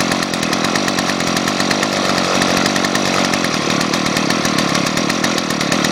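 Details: Gas string trimmer running cold in freezing weather, not warmed up: steady buzzy high-revving two-stroke drone with fast even firing and no knocks; normal cold running.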